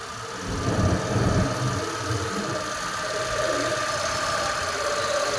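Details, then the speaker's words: Suzuki Access 125 BS6 scooter after fitting an idle-adjustment aluminium body and sensor; engine starts into a fast, busy high idle well above normal tickover, to be lowered by tightening the adjustment screw. "ఇప్పుడు చూసారా బండి racing లో ఉంది ఇప్పుడు manual గా మనం slow చేసుకోవాలి okay"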